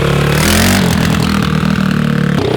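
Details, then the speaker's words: Mini ATV just push-started after swapping the stock 107cc automatic for a 140cc close-ratio 4-speed race engine, being broken in: small single revs up quickly and cleanly with no knock or misfire; normal running. "turns up pretty fast [Music] sounds like it's gonna be fast"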